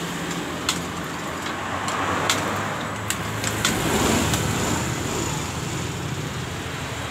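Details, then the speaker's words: Yamaha Mio M3 scooter that died suddenly while riding and wouldn't restart, after compression was released via the spark plug hole: steady, even engine note under street noise, no misses or knocks; runs normally. "hidup dengan normal setelah kita membongkar kompresi di bagian lubang businya"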